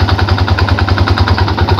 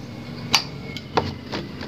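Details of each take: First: Yamaha Jupiter Z at idle, heard from the right side: steady dull "dak dak" knocking about six to seven per second that disappears at quarter or half throttle and returns when released; possibly a worn starter one-way clutch. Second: Yamaha Jupiter Z single-cylinder after repair of the one-way starter clutch on the magneto/flywheel: a few starter clicks, then it fires and settles into a steady, even idle; the earlier dok-dok knock is gone, with slight air noise remaining.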